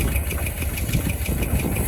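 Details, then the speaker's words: 1961 Chevy camper engine just reinstalled, first fire-up with 4 quarts of oil, about 70 psi oil pressure: rapid light ticking over rough low idle, following engine speed; collapsed lifter, owner suspects from long sitting and expects it to pump back up. "Well, it's got a little lifter tick, but that might be from sitting for a long time."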